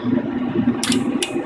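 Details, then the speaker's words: MEP-002A diesel generator, switch in prime and run before start: steady low hum with faint rapid ticking; electric fuel pump priming normally; tank cleaned, screw-on fuel filters fitted. "And it's already on prime and run because that's how I shut it off, just make sure it's shut off. You can hear the fuel pump ticking away."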